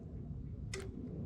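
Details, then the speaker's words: 1977 Pontiac Trans Am with a 5.3L LS swapped from a 2001 Chevy Tahoe, during first fire-up wiring. After the failed switch was bypassed by tying the wires together, a single sharp relay click shows the circuit is powered. "okay did you hear it all right that means we got juice"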